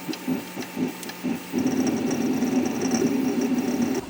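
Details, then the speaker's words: 3D printer running the same job at the same speed after rubber dampers were fitted to the NEMA 17 steppers: dull low hum with a faint extruder chatter; decibels similar, but the shrill whine is gone. "mais maintenant c'est un son sourd qui est pas du tout dérangeant ce qu'on entend le plus c'est celle extrudeur"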